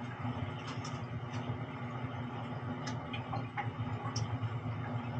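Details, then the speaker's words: Gas boiler after fixing low incoming gas pressure that earlier gave small flames: steady low burner roar with light ticks, now clearly getting more gas and firing normally. "Fire's up yeah I couldn't hear a run yesterday barely sounds like I got a lot more gas"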